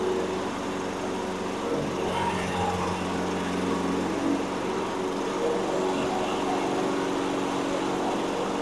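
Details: Toro Recycler 22" mower, Briggs & Stratton 190cc engine that wouldn't start, after repair, running on gas without starting fluid: steady even single-cylinder running, no surging or misses; normal running.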